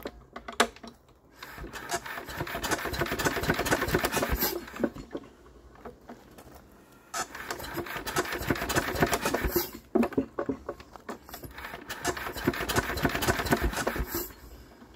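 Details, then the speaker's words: Enfield twin-cylinder diesel being started: three long cranking bursts with only the odd uneven chug and some smoke, one injector squeaking, never catches; no-start blamed on a major fuel leak. "Well, we get a couple of chugs of smoke out here."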